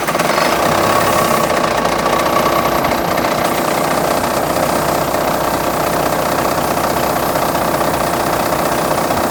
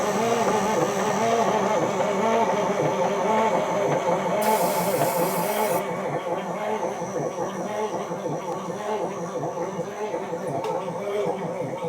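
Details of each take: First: Semi truck diesel with a 24-volt starter fed by batteries switched into series while cranking: it catches at once and settles into a steady, even idle clatter with no misses. Normal idle. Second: Parts-donor semi truck diesel, not very cold weather: the starter churns slowly and laboriously at under two turns per second with a low clunking, never firing or catching. Slow cranking, no start.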